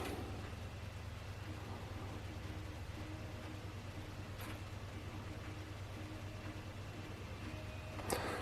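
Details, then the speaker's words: PlayStation 1 bought as broken (rattle inside, lid not closing) spinning and reading a Square Soft disc after the first fix: quiet, steady low hum with faint clicks, no rattle; normal disc spin and read. "I hear the disc let's make a lot of noise oh I think that's it yep Square soft it is reading the"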